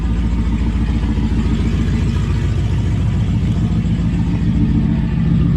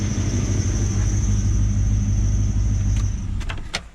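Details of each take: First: LS1 V8-swapped Nissan Patrol at startup and light revving, before the exhaust repair: deep V8 rumble with a raspy puffing edge that follows engine speed. Exhaust leak. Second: LS1-swapped Patrol V8 at idle after the exhaust leak was fixed: deep, even burble with no ticking or puffing, only a faint high belt squeal from a pulley needing replacement; a sealed, healthy exhaust.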